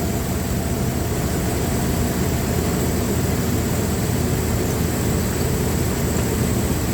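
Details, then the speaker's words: Dodge Ram 1500 with a V6, likely the 3.6L, and a misfire, idling with a spark tester: low idle lopes unevenly with a recurring stumble, one cylinder not firing and a neighbour weak; rear plug suspected fouled. "Yeah, there's our problem. Look how slow it is. It's not even firing."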